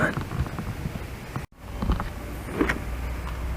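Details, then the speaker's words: Restored 70hp Johnson outboard power tilt and trim, after fixing intermittent operation with a Panther Marine jack plate relay board; steady electric motor whir, brief pause as it reverses, even run the other way; trim works properly. "works it works like it should oh yeah we're almost there"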